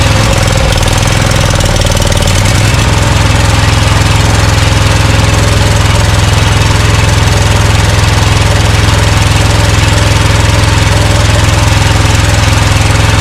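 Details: Scag Cheetah mower with a Briggs & Stratton Intek V-twin, idling: an uneven, lumpy beat about three per second as one cylinder drops out. Misfire; the left carburetor side is suspected of sucking dirt past the air filter.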